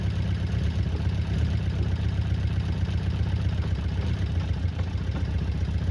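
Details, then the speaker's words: Honda CB400 Four restoration, cold start on a freezing day after tappets found loose and reset to 0.05 mm, two inner ones still unset: steady four-cylinder idle with faint light clicking, still a little clicky but much better than before. "Yeah, so it's running all right. It's still a little bit clicky, that engine. But sounds a hell of a lot better than it was."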